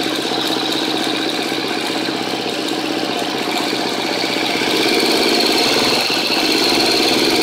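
A light, steady tick of about four per second rides over the idle; it is a top-end tick, but the source is not yet pinned down. Cause suspected, not confirmed.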